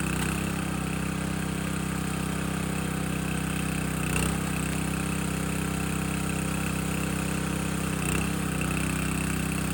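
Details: Landworks 20-ton log splitter engine splitting a second log at least twice as heavy, possibly wetter or hardwood; steady, even drone with brief dips as the wedge bites, pulls through cleanly; split well, healthy normal running under load.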